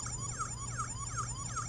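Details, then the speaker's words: Smonet smart door handle fingerprint/keypad lock after repeated wrong code attempts; loud rising-and-falling siren wail repeating about every 0.4 seconds, fingerprint then locked out until unlocked via app; intrusion alarm after repeated wrong codes. "So if you keep on trying to put the password in, I think that's 2 times, it's 3 times, 4 times, 5 times the alarm"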